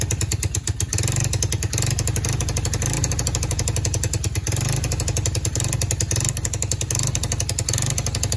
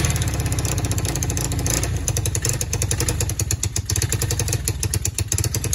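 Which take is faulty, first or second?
first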